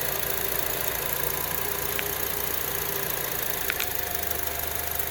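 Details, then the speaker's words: 2009 Honda CR-V petrol engine at idle with a constant airy hiss over a low hum; spraying MAF cleaner at the rear changes idle, revealing an intake vacuum leak causing the P0171 code. "Well, I found my source of my P0171 code. Air leak back here using the mass airflow center cleaner."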